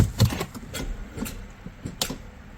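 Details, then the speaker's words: 2.0L turbo petrol car with flat battery on a not very cold day, before connecting a jump starter: starter only clicks, engine doesn't crank. "Nope, you could hear it. It tried, but nothing. Let's try again. Nope, just clicking."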